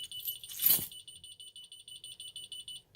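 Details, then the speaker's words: Ademco 6128 alarm keypad, police zone activated while armed stay: high fast beeping around eight per second with uneven spacing and a brief dropout, the keypad sounder stuttering; keypad also confuses check 08 with 108. "Good Lord, you can really hear that keypad stuttering."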